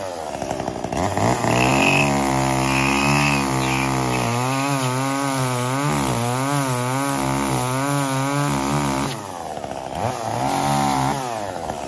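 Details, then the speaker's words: Echo CS-345 chainsaw, previously bogging under load from a lean mix, after richening the H screw 1/8 turn counterclockwise and lowering idle slightly: revs up crisply, holding strong steady high pitch through the cut without bogging; normal running under load. "as you can see adjusting that high speed screw about an eighth of a turn to the richer side of things allows this little saw to run exactly like it should"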